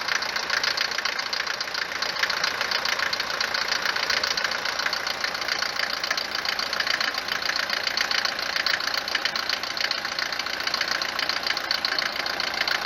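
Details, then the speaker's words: Mercedes 190 diesel, recently serviced with 10W-40 oil instead of the previous owner's 15W-40, not using oil: harsh metallic clatter and uneven knocking at a fast cold idle that eases as it warms. Diesel knock at cold start, cause suspected. "لما نجي نوضها نسمع التقربيع بزاف، تبدا تقربع كما شتي في الفيديو، ولما تسخن شويه يبدا دوك التقرقيب كينقص، يعني ما يبقاش بزاف كما شتي في الفيديو."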